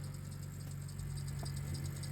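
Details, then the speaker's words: BMW 328i at idle with no mass airflow sensor connected: quick high-pitched chirps pulse steadily; spilled oil on the drive belt makes it slip and squeak, and the belt needs replacing. "You can hear the belt squeaking with all the oil, but that's fine."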